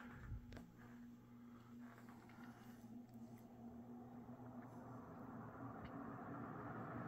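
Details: Mid-to-late 1980s 56-inch industrial ceiling fan, possibly an HRS variant, set straight to high speed: even, low steady hum and soft whoosh with no clunks, wobble or 60-cycle hum, unlike the first fan's loose bearing; normal running.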